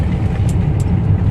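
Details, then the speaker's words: Maruti Suzuki Swift after suspension repair on rough road: steady low rumble with no clunks or knocks, only faint dashboard rattle; suspension quiet. "Dash ബോർഡിന്റെ ഒക്കെ ചെറിയ rat noise മാത്രമേ ഉള്ളൂ വേറെ കുഴപ്പമൊന്നുമില്ല"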